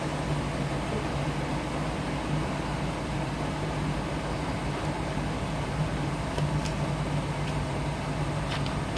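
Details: Hotpoint NSWR: steady motor hum with a faint low drone and an occasional light tick, an unusual running noise with no confirmed cause.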